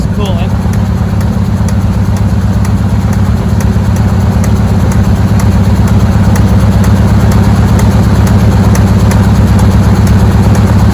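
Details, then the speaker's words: Squarebody Chevy with a 350 small-block (GoodWrench crate) V8 at idle: steady idle with a faint light tick about three per second on top; owner suspects a sticky valve. "cooling I think it's got a sticky valve can you hear that"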